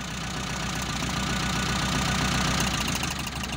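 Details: Mitsubishi Colt T120 SS fuel-injected engine during a plug-wire cylinder test: lumpy idle with an uneven beat about four a second, shaking on a dead cylinder; misfire on one cylinder.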